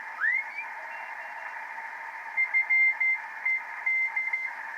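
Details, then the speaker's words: 50-year-old Heathkit SB-301 receiver, recapped and resistors replaced, on 40 meters: crisp keyed CW Morse tones near 2 kHz over steady hiss, meter bouncing; partly working, mode switch issue, still needs alignment, LMO questionable. "but I'm getting CW and the meter is actually bouncing to the noise level"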